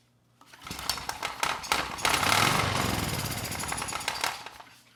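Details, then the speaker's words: 30-year-old Honda EX1000 generator that ran 5-10 minutes then shut down (owner had swapped coil and carburetor), now restarted: catches after rough pulls, settles into busy, even steady run; engine sounds good and makes power. "it runs in this configuration the engine sounds good and it makes power"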